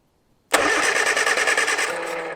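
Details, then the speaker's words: 1970 Morris 1300 (ADO16) barn find, sat many years, hot-wired with temporary fuel pump; starter spins engine with even chuffing under two seconds, never fires, spark suspected missing; cranks but no start. "I don't think we're actually having any Spark or that sounded like something"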